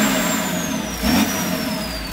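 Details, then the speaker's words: VW LT40 4x4 with BMW M57 3.0 twin-turbo diesel swap, just after first start: smooth six-cylinder revs rising and falling freely, high turbo whistle sweeping down as revs drop, "choo-choo" noises; normal diesel revving. "yeah a lot of choo-choo noises yeah"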